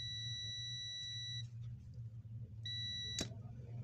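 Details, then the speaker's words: Loudspeaker horn driver unit tested before disassembly: clean steady undistorted high beeps starting and stopping crisply over low hum; driver seems to work normally. "तो इसमें से कुछ आवाज़ आ रहा है दोस्तों, ये देख सकते हैं आप, लेकिन इसमें अभी इस यहाँ हम इस ये आवाज़ कर रहा है, लगता है ये ठीक है,"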